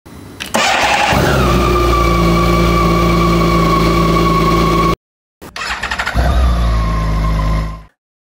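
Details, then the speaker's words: BMW K1600 GTL motorcycle inline-six starting normally: a quick crank, then a smooth, balanced, even hum that settles at once, started twice with no misses. "Друзья, только что вы видели кадры и прекрасно слышали, как запускается двигатель BMW K1600 GTL. Вот это прекрасная сбалансированная рядная шестерка."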